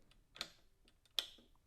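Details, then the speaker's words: Edison Triumph phonograph after a new spring and nipple were fitted: two crisp, clean clicks with no rattle or drag, the changer engaging properly. "i also on this came in here and i changed the spring and i put in a new nipple i talked about in a previous video and you can hear it click"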